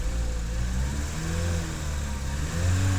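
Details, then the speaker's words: 2012 Chevy Cruze 1.8L running after a blown fuse was found behind the click no-start (starter fine), oil topped up. The engine picks up cleanly on light throttle blips over a steady low drone, with no knocks or misses: normal running. "so starter is not bad the fuse is bad fuses don't blow for no reason so I have to figure that out but no run yes run yes run with little"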